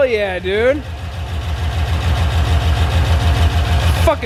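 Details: 6.0 LS V8 swapped Cadillac coupe just after first start; deep, steady burble with even low pulse and a couple of blips, no knocks or misses, normal idle, small oil leak at a fitting.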